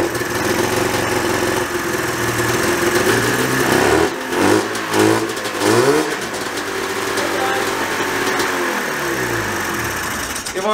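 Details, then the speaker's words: 1987 Yamaha Exciter 570 two-stroke snowmobile, started after 13 years parked with fresh gas, surges and revs up on its own, rpm swinging high and never settling, needing the kill switch; throttle cables pulled too tight kept the carburetor needle from closing fully. "ables were pulled really tight so the actual like needle in the car wasn't going down all of the way so that's why i had to run it with the kill switch because it would rev out and i would have to kill it because it wanted to go a bajillion miles an hour"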